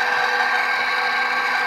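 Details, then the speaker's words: HP Infinium 500 MHz four-channel oscilloscope on a used unit: steady whirring hiss with a slightly coarse, uneven edge; a small cooling fan near the display suspected of running rough, to be swapped for a smoother one. "the display right here the fans is what's uh what's an in rough I think this guy's okay so and see if I have maybe another fan that runs a little smoother"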